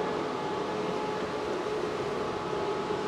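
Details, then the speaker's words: Tesla Model 3 LFP, heard from outside during a service-mode battery health test, discharging about 3-4 kW: steady loud whooshing fan roar with faint mid-pitched heat pump hum; fans and heat pump running hard, normal. "you can hear those fans going crazy you can hear the heat pump going"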